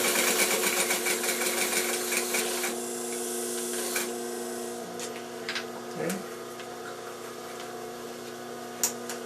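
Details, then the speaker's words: Vintage Singer 95-1 sewing machine with a new timing belt and re-timed hook, sewing thick red suede: steady even hum with a light regular needle tick, coasting down with no knocks and no skipped stitches. Normal sewing. "no skip stitches nice perfect sound for a machine of this error sewing like a champ"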